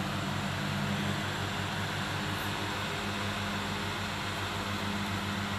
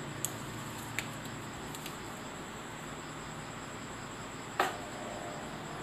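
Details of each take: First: Electric fan that howled and stopped spinning, after disassembly and cleaning, tested at speeds 2 and 3: steady, even airy rush with soft low motor hum; howl gone, normal running. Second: Household fan motor spinning up with a loud, wailing howl that climbs in pitch then holds; the fan weakens and slows after running a long time, sometimes stopping by itself.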